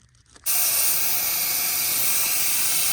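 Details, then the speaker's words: 2003 Ford 6.0L diesel, valve cover off, no start: shop air on cylinder gives a loud steady hiss escaping past injector O-rings, far back and center seals both failed; leaking seals cause the no-start. "there's our leak coming from this injector right here. Big leak. Look at that. A little O-ring will stop these trucks from running, and that's exactly what happened."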